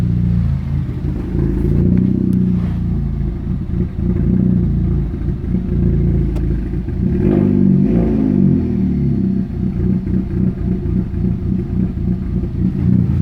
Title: Rough idle